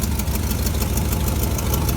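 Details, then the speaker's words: 1957 GMC 370 2-ton truck, original Pontiac 347 V8, revived after 20 years sitting, idling on its own tank: deep, lumpy idle with a sharp, regular puffing tick on top; exhaust leak from the blown exhaust donut. "Doesn't sound too bad, besides that exhaust leak there. That's just the donut blown out there."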